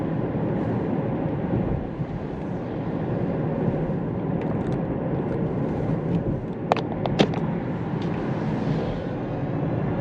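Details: Kia Niro EV on a road test with oil warmed, checking an intermittent reduction gearbox rumble or knock that appears after hard acceleration: only steady road and tyre rumble with a few light cabin clicks, no drivetrain knock or whine heard.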